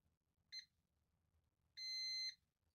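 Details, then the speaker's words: Multimeter on continuity testing a capacitor removed from a BBC Micro 68008 (Cuman) board: a short high beep, then a steady half-second tone as the probes close. "so here's that capacitor I got me meter on continuity hopefully you can hear that beep if you can't it is beeping"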